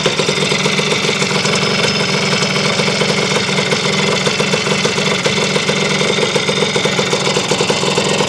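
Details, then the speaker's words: Honda CR250M Elsinore two-stroke, first start in years after kickstarter repair, on a cold morning around 30°F, mic near the engine: a crisp, even idle crackle with no knocking or loose ringing. It is running healthy. "The engine doesn't sound terrible loose. You know, it just you know, it's not ringing bad that I can tell."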